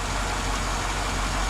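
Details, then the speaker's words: 2005 Chevrolet Silverado 1500 5.3L V8 after a new alternator install, with 14.4 V at the alternator and 14.3 V at the battery: steady, even low rumble with no misses, knocks or whine; healthy smooth idle. "Nice and steady."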